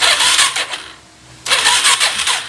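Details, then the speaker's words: 2017 Suzuki DR-Z400S single, stored with old fuel in carb, cranked on full choke with clutch interlock bypassed. Two short, lazy, uneven cranking bursts with no firing. Starter turns slowly, and no fuel appears to reach the combustion chamber. "doesn't seem like there's any fuel that's been pouring into the combustion chamber not cranking very fast either that's not good"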